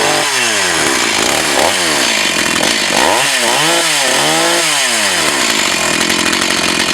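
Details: Echo CS 4500 chainsaw, bought used with unknown history, after carb rebuild, test run behind a garage in wind. Revs up and drops back cleanly several times, pitch following throttle smoothly, no stumble or bogging; running properly.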